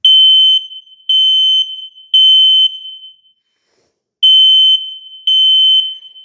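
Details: Home smoke detector on test: loud high-pitched beeps in groups of three with short pauses; alarm sounding properly.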